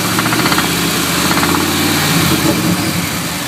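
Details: Ford 5.4 2V V8 at steady idle: rapid, slightly irregular knock, roughly four a second, over the engine hum; engine knocking at idle, source not yet known.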